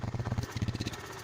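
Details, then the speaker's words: Used motorcycle inspected before purchase: idle exhaust pulses stay even, quick and smooth, including with the tailpipe muffled; the engine sounds healthy. "suaranya di sini suaranya cukup halus meskipun ada sedikit ngelitik saya tips untuk di bagian tensionernya tapi setelah beberapa detik suara Ngetiknya menghilang cukup halus"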